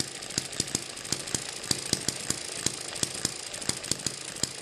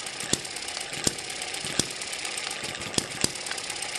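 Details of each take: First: Eachine ET7 (same as M94) model hit-and-miss engine on its original governor springs, running about 1600 rpm: fast steady string of sharp pops with no coasting gaps, springs too stiff so it runs too fast and never misses. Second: Eachine ET7 (same as M94) model hit-and-miss engine with weaker, stretched governor springs, running just over 900 to 1000 rpm: sharp single pops roughly once a second, unevenly spaced over a light steady whirr, a normal healthy hit-and-miss cycle.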